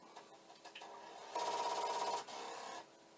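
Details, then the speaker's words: Commodore 1541 disk drive under repair: fast buzzy rattle of the drive head banging against its stop, constant and repeating, not recovering to normal operation. "right at this moment it does seem pretty consistent and that wants no part of this because it's very constant and but the head banging sounds good"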